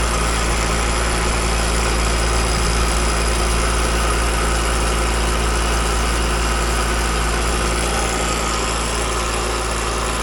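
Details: Home AC outdoor unit with an Alliance scroll compressor, loud, noisy and chattery: steady droning hum with a coarse throb about four times a second; gauges later show almost no refrigerant, so the compressor labours on a low charge.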